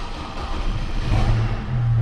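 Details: 2005 Chevrolet Colorado with a no-start (new battery fitted) traced to a faulty PCM; after replacement and the three-cycle passlock relearn with security light off, the engine catches quickly into a steady low rumble with no stumble or misfire: clean, healthy start.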